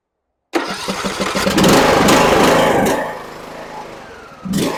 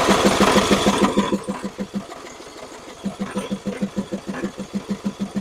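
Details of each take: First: John Deere E100 riding mower that had died while driving with a puff of smoke, started after the battery positive and negative wiring was checked. The starter cranks briefly, then it catches and settles into a steady, even run. Normal start and run. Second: John Deere E100 riding mower, about 35 hours, died while running with a puff of smoke: steady cranking at about three compressions a second, never catches; fuel pump delivers, but the carburetor fuel shutoff solenoid is stuck and not retracting, blocking fuel.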